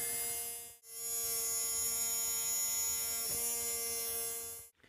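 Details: Tamiya Mini 4WD brushed motor during break-in, direction reversed every few minutes for even wear, left running another couple of minutes: steady, high, even whine at constant pitch with no catches or rattles; bedding in smoothly.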